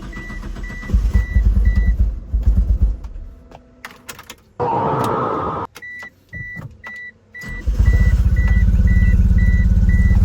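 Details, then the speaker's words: 2G Mitsubishi Eclipse (DSM): lumpy uneven idle with pulsing thump from misfire, cylinders 2 and 3 not firing; plug-boot pulling test showed no change on those cylinders. "Well, we have ourselves a misfire."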